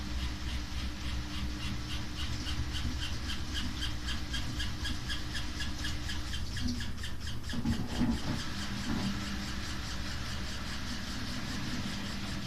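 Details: Samsung WW5300 washing machine (WW95T534CAE) on only its second use, churning with a loud low rumble and sharp squeaks and squeals midway; very loud from the beginning, cause not clear.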